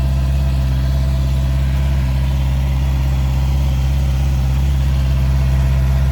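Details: Heavy motorcycle after exhaust repaired, polished, painted and reinstalled: deep steady exhaust pulse at constant idle, no rattles or leaks; normal exhaust note.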